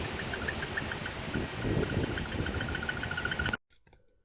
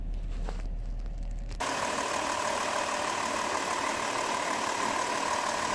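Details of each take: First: 2005 Chrysler Town & Country with cylinder-specific misfire code: rough, shaky idle with irregular exhaust puffs and squeaky exhaust chirps from one misfiring cylinder; diagnosis by testing coil and spark plug wire with spark tester. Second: 2005 Chrysler Town & Country petrol V6, after replacing worn spark plugs that caused a cylinder-specific misfire: even idle with a steady hum, no stumbles or missed beats. Smooth idle.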